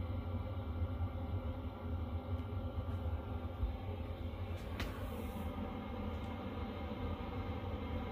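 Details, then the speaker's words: Chinese diesel heater in a box, first test on a cold day at about 1.3 °C, still warming up with the glow plug on; low steady rumble and even fan whir building as the burner takes hold, running normally. "you can hear the fan you can see here right now it's kind of started starting to warm up that'll get up to full bars when it's really pumping out the heat so you can hear it it's starting to kick up there it goes"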